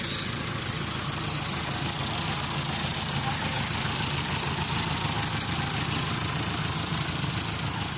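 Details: Kia Sportage hard start: steady laboured churning at about three or four beats a second that never catches; starter motor turning too slowly, fixed by Wrench King.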